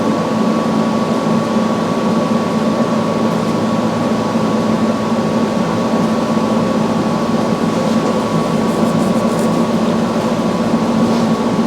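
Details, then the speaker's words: Samsung front-load washer after replacing all four shock absorbers with OEM shocks, running a calibration spin with an empty drum. A steady, even hum with a constant tone and no thumps or knocking; normal. "the same time CB for calibration we're going to hit go going to let it do its thing kind of see what's see what's going on in there a little bit and the drum has to be empty can't be any water in there"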